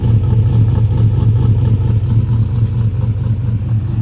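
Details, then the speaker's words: Cammed 450hp V8 truck after a header gasket replacement, idling after a disconnected part was reconnected: deep, lumpy, even idle around two beats per second, now firing on all eight cylinders; normal idle. "but now we can hear the eight cylinders once I turn it on there we go hey cylinder is firing on eight now now there we go hell yeah there's that shot"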